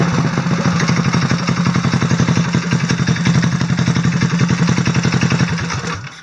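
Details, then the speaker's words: 1966 Huffy Park Lane mower with an NR Racing engine, after valve lash was reset to spec (stated as 3,000 exhaust, 2,000 intake). Crisp, even single-cylinder thumping with no misses or rattles, then shutdown; runs very well. "fired it up and this thing runs ridiculously well but actions speak louder than words so I'm going to fire it up real quick and let you guys hear it for yourself"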